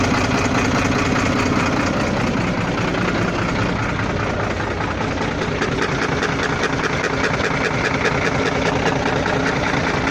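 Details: Volvo FL6 diesel at idle: heavy idle with dull knock that comes and goes, floating rather than steady; cause unknown; intermittent engine knock.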